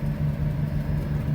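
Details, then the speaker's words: Potterton Promax HE Plus condensing heat-only boiler on an S-plan system with 2 zone valves, heating on: circulating pump gives low steady hum with rough, grainy rumble; pump bearing going, pump needs changing. "So you can hear the pump's a bit rumbly. The bearing's going on that pump, so that's going to want changing."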